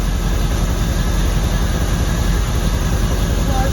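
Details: 1979 Suburban, carbureted, vacuum advance unhooked ahead of setting initial timing and adjusting the carb: steady, even low rumble with no knocks or stumbles, settled into a smooth idle.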